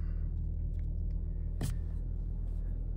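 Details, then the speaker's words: 2011 Chevy Cruze 1.8L at about 175,000 miles, first start after a tune-up with new spark plugs: deep, steady, even idle with no knocks, ticks or stumbles while the idle is still elevated; the engine sounds healthy. "first start after the tune-up It's Already Done its checking the systems engine light goes out engine sounds good"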